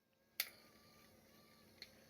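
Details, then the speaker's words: Generic power antenna being installed in a 1981 Corvette: faint steady motor hum with two sharp ticks; the antenna motor runs and works. "Let's do this. Okay, she ticks. She makes a noise. So, let's put the regular power one in. And then let's put this one in. And she works."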